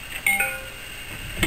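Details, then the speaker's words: A USB-to-serial cable being unplugged from a computer makes a short two-note chime stepping from high to low, during attempts to reach a crashed Uniden Bearcat BC796D scanner. Normal USB disconnect chime. "and when you disconnect it should make a high pitch to a low pitch note to let you know it's being disconnected"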